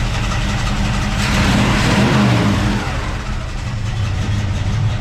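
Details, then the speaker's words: 1969 El Camino SS, 454 big-block V8 first run with carburetor, distributor just installed: catches and runs lumpy and uneven, surging then sagging; rough running from unset ignition timing. "I've not set the timing yet. That's just from, you know, setting her up from the initial setup, I guess."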